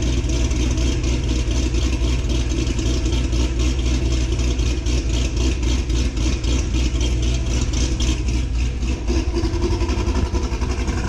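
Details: 2006 Corvette Z06 V8, cold start recorded before a new cam is installed: loud, lumpy idle with a choppy cam lope around three to four pulses a second, steady and even; sounds healthy.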